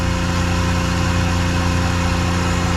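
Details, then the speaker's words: SeaWater Pro 40 GPH dual-membrane watermaker on a sailboat, run off the generator, boost pump then main pump switched on with no adjustment: steady, even low hum with a constant pump drone, no knocks or surging, running normally. "Everything's gonna settle. But yeah, there's nothing to it. You just turn it on and off."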